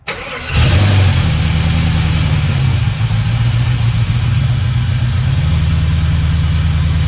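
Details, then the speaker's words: LS1 V8 in a Hilux, first start after a garage rebuild with a full gasket kit, new head studs, a 219/227 cam and a fuel system: brief crank, then it catches cleanly and holds a firm, even idle with no knocks or misfires. "That's a good sign. That's a good sign."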